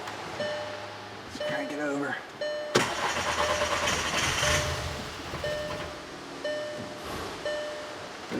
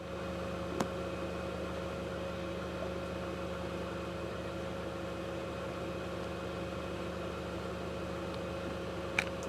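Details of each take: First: 2009 VW Passat 2.0T GDI, stalls and won't restart, check engine light on: starter turns steadily about two seconds but never fires, low-side fuel gauge not moving; crank no start, no low-side fuel pressure, fuel pump voltage checks next. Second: 2009 VW Passat 2.0T GDI after fuel pump module replacement for intermittent stalling and no-start: quiet, even idle with no stumbles, surges or cut-outs, steady fuel pressure, driven 5 miles, confirmed fix.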